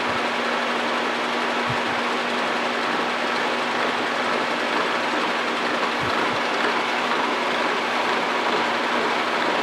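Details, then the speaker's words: Horizontal mill cutting spur gears with a dividing head at 119 rpm, 2-1/8 in/min feed, with cutting oil: a steady loud cutting roar with a faint uneven bump-bump each cutter turn from slight cutter runout; normal. "hear that kind of bum bump bump sound that's pretty typical on a horizontal mill these cutters rarely run perfectly true but as is cutting one tooth is probably cutting a little bit more than others"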